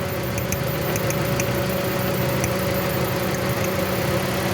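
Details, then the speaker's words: 2017 Toyota Corolla that broke down on the road, idling with faint irregular ticks and an unsteady beat. The misfire likely comes from one cylinder's shorted ignition coil. "सामने से उधर सही आवाज नहीं हो रहा है इधर [संगीत] साइड से जो अभी करेगी वह शॉर्ट होती है और वो कोयल नहीं चाहिए"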